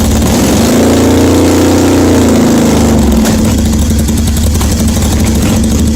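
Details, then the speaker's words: 1981 Yamaha XS850 Special after carburetor rebuild, first cold start on full choke: very loud raw bark with no exhaust tips fitted, blips then settles into a rough cold idle. "well there you go it is running i don't know if you can hear me it's so loud it's got no exhaust tips on it but it is running"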